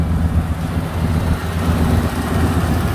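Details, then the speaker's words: 1967 Chevrolet El Camino, 400 small-block V8 with tuned port injection, AFR aluminum heads, MSD ignition and Flowmaster exhaust, idling after a quick start with the hood open; an even, mellow, low burble with no knocks, misses or ticks. No smoke or smells, a normal idle. "Go around back, no strange noises, no weird smoke, no smells. It's got a nice mellow sound."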